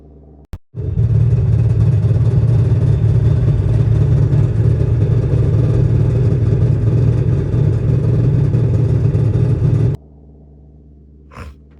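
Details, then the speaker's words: 2000 Ford F250 7.3L: front four-wheel-drive driveshaft broke; at about 15 mph a heavy low pounding rumble, three to four thumps a second, as the broken shaft flails underneath; far more violent at 60 mph. "the drive shaft broke for the four-wheel drive on the front wheels um and if you were wondering what happens when that happens while you're driving at 60 MPH on the highway this is what it sounds like"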